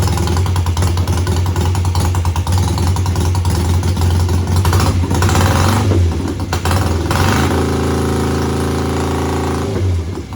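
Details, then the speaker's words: Home-built BSA twin chopper, stationary rev check lifting each carburetor throttle slide individually, then both together. A steady, deep exhaust rising and falling with the blips, no stumbles: both cylinders kept up, so the cutting out could not be reproduced. Carburetor or ignition still suspected. "Well, that didn't help. It seemed perfect. I revved both cylinders up individually and they both kept up, and then I revved it up together and they both kept up."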